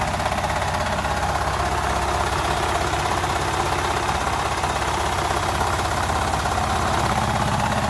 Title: Fiat Doblo 1.2 8v cold start and strange noise from the engine